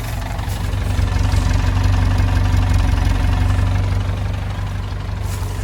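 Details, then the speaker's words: 1948 Willys Jeep CJ-2A, 3-speed in neutral, just started with choke pulled. Deep, even chugging idle with a steady low thump, no knocks or misses; healthy. "Gonna see if it'll idle. Like I said, sounds like a tractor. Let's do a little walk around while it's idling."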